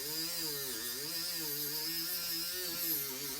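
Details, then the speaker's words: Dremel rotary tool polishing silverware: a high whine that repeatedly sags in pitch as it bogs down under load when the bit is pressed, with a loud grinding hiss. "like this one here you can hear bogging down feel"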